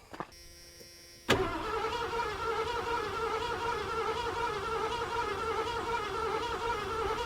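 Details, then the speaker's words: 1986 Ford Bronco: starter cranks steadily with an even whir but never catches; high-pressure fuel pump heard running, owner unsure fuel is reaching through the line and may need priming. Cranks but no start. "Don't quite know if we're getting fuel through that line. Might have to prime it up a little bit."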